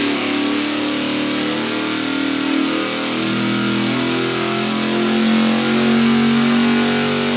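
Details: V8 on dyno at full-throttle pull, testing a budget fuel pump against others; steady roar climbing smoothly, no stumble, misfire or lean surge, fuel pressure about 6.7 psi, low 6.2, finishing 6.4; healthy pull.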